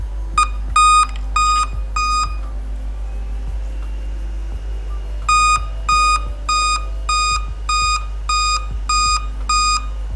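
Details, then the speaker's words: Dell Inspiron 3542/3543 laptop sent in as no-power, board now powering on with a speaker connected: eight evenly spaced high beeps, about two a second, repeating after a pause. Dell's eight-beep code pointing to a display fault. "Oh 8 beep කියන්නේ යාළුවනේ display එක."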